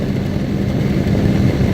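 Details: Exhaust hood blower, newly fitted motor on 120 volts, after belt tension eased via adjustable pulley: amp draw dropped from about 15.3 to 10.5 against an 11.5 target. Steady, even whooshing hum, no belt squeal, slap or rattle; motor and fan running smoothly.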